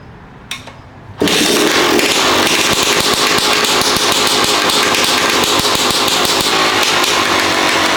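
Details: Rebuilt 2011 Yamaha YZ250 two-stroke, first start with the idle screw turned out one turn: fired on the 3rd kick but died from the low idle setting, then bursts into a sharp crackle and settles into a steady, even high idle with no knocks or misfires.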